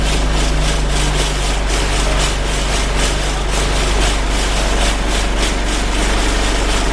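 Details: Alexander Dennis Enviro 200 bus (YJ09 CVD) in service, recorded on board: heavy steady diesel drone with a coarse pulsing rattle about four times a second, loud vibration noise while driving, cause unclear.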